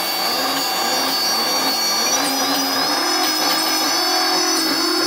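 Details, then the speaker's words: QAV250/ZMR quadcopter build, motors armed: high whine stuttering and surging unevenly instead of steady tone; owner suspects ESCs; motor sputtering. "so as you guys can see the issues that I was having with it sputtering and stuff like that so like I say I do believe it's the CSCS"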